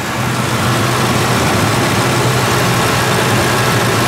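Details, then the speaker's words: Ford 2-valve 4.6 V8 after new Dorman intake manifold replacement, cold day, warming up at idle, no smoke: steady smooth low rumble, no knocks, ticks or misses; running better than ever, healthy. "This is running really good. I don't think I've quite ever heard this car run this good before."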